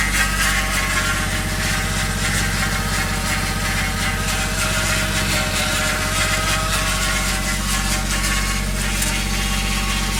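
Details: 1JZ VVTi engine with new oil pump, new timing belt and 10W60 oil: a steady cold idle with an uneven, rapid chatter about three times a second. It starts 10-15 s after start-up with oil pressure and disappears once warm; cause unclear.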